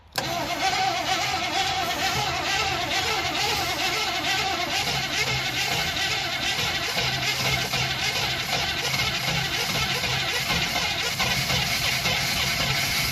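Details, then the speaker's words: 1968 Impala with a 300 hp 327 V8 and Turbo 400, off the road for almost 40 years, run on fuel from a bottle after only cleaning the points: a short crank, then a steady, even idle with no knocks or misses. "all I did was clean the points off and left everything else alone and it's just sitting here idling"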